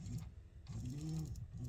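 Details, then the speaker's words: BIQU B1 3D printer with a cheap linear rail: a carriage hum with faint, uneven clicking, which the owner suspects is ball bearings chattering, not the motor. The axis stutters slightly but print quality is unaffected so far. "little little clicking sound not the motor sound but yeah i don't know it's kind of the you can hear the ball bearings and they're like chattering around"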